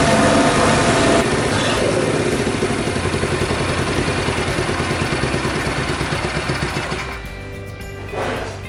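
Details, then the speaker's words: Honda Super Cub, reassembled from parts, started after a carburetor cleaning for overflow and earlier cam-chain tensioner noise; catches and holds a steady even putter of about four beats a second with no ticking or rattle. "Not really, I don't hear any strange noises here either."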